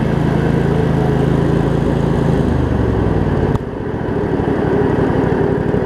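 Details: Craftsman riding mower, Briggs & Stratton V-twin, after shift hub repair, started on choke and driving: steady even run with firm low beat, no misses or knocks; running pretty good.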